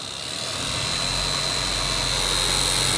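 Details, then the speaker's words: Noisy cabin blower fan on a cheap Toyota Prius, sometimes not running until nudged: loud steady whirring with a sharp high whine and throbbing low hum, still noisy after cleaning and greasing; worn blower motor needs replacement. "I clean it up already it's still making a noise and putting a grease there doesn't make it I think make it quieter"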